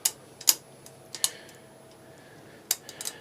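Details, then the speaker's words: Suzuki GSXR1000 front brake discs: sharp metallic clicks at uneven intervals as the disc shifts, quiet between them; loose floating disc bobbins with missing washers, fixed by fitting new discs. "hear that that's cuz my little washers inside my bobbins have got gone and my bobbins are"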